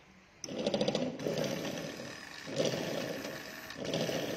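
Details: Fuel pump motor on a 2016 Air Blade (K66) fuel-injected scooter starts with a steady, even buzzing hum and runs smoothly with no rattle; normal fuel pump operation.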